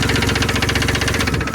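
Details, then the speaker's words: 2002 Ford Explorer Sport 4.0L V6, 5-speed 4x4, 250,000 miles, after coil pack and plug replacement, no misfire code, smoke near one cylinder: fast sharp ticking about a dozen clicks a second over idle; owner suspects stuck valve or exhaust leak. "It sounds like a stuck valve to me or it could be an exhaust leak."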